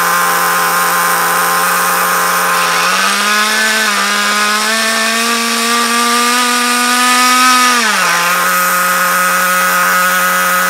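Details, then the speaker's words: RC nitro car at lowest throttle setting: high steady buzz, climbs briefly and settles but never drops to a slow idle, still drives with brake on; idle far too fast, owner unsure of tuning or leanness. "um so yeah as you can hear it's very very fast um I'll put it on again and show you when I put the brake on it still goes"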